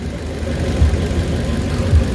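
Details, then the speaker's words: Suzuki Carry, warmed up, with low power and poor hill climbing: loud rough idle with heavy low rumble and shaking, engine mounting looks loose; before oil change and XADO engine treatment; cause not confirmed. "So ayan guys nakita niyoung sobrang ah lakas. Maingay talaga. So talagang kakaiba 'yung andar ng makina."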